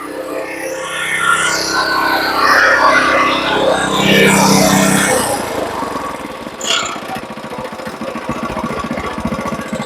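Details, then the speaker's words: Earthquake rear-tine tiller at idle after carb cleaning and oil change: busy clatter, then a fast loose rattle on every beat; owner suspects the rattly belt tensioner wheel/pulley (drive gears also noisy, nail-rigged fix found), cause unclear. "Maybe it is just this tensioner wheel is still rattly. I don't know. It moves. I'm assuming he knew it made that noise."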